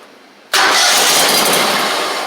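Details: Gravely 260Z mower with a Kohler engine, before repair; cranks and catches sharply, then the running note fades within about a second as the spark is killed; the ignition module is blamed, and the owner also suspects a short near the oil light switch.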